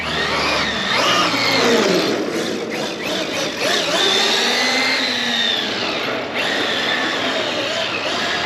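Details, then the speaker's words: RC truck: high thin whine rising and falling with throttle from powdered-metal drive gears meshing; gear mesh checked perfect, just noisy. "just going to give it a quick little test just to make sure if the sounds changed at all yeah it's still there a little"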